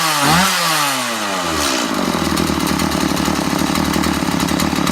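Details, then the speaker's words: Stihl MS 180 chainsaw after rebuild and carburetor work. Quick throttle blip rises and drops cleanly, then a steady, even buzz at high idle; runs nicely. "just at the carburetor now it runs quite nicely"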